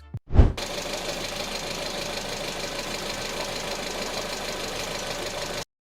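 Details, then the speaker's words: An engine runs steadily with a fast, hard metallic knocking beneath the running noise. Possible causes named: low oil, faulty combustion in a cylinder, or worn bearings; check the oil level first. "المحرك حرفيا هذا الصوت هو اخطر صوت ممكن تسمعه بالمحرك واسبابه ممكن تكون كثيره اما نقص بالزيت او احتراق غلط ضمن السلندر او ممكن بواجه تعبانه"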